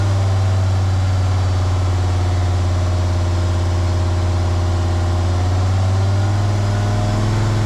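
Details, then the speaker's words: Jeep WJ Grand Cherokee 2.7 CRD diesel with injector problems and black smoke, held at about 2000 rpm by bricks while intake cleaner is sprayed; deep, even fast-idle drone with no misses, and the smoke is getting less. "So then I decided to just start again, place some bricks very strategically, and get it up to about 2000 RPMs, so it's very stable, and that worked pretty well."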